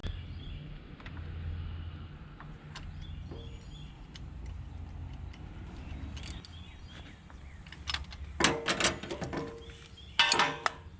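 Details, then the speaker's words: Cheap marketplace forklift after replacing a bad spark plug found during ignition troubleshooting: steady, even low idle with no misfire or stumble, then a few clanks from handling nearby; the engine now runs smoothly. "sounds like she runs a heck of a lot better let's take that wire away again and see what happens"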